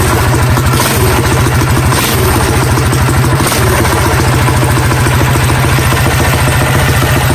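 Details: Predator 212 Hemi single-cylinder engine on a Coleman CT100U minibike, just fitted with 18 lb valve springs and fresh oil, fresh fuel; even, rapid thumping over the exhaust with no tapping or misses; normal healthy running.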